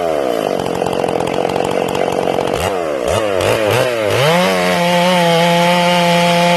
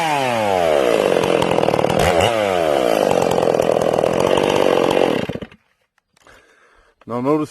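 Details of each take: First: Ported Stihl MS461 chainsaw, not yet broken in and deliberately tuned a little rich, in its first cuts. Blubbery, uneven burble entering and exiting the wood, then the pitch sweeps to a clean scream. The rev limiter makes it sound four-stroking; rich carb tune. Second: Ported Stihl MS461 chainsaw with rev-limited coil, cutting: high revs bog slightly entering wood, burble unevenly exiting; normal four-stroking off load from well-tuned carburettor.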